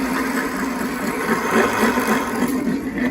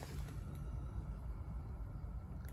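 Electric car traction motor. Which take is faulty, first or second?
first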